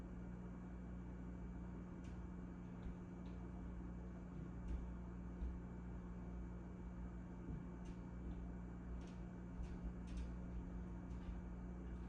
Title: Sounds I cannot hear with out my hearing aid my fridge started make weird noises